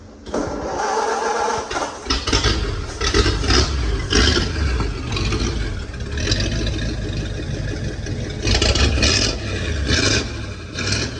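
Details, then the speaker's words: Ford flathead V8 converted to HEI electronic distributor, muffler cut off; fires up loud and raw, blips and settles into a lumpy burbling idle; engine sounds healthy. "Sound like a flathead, don't it? Sounds pretty good."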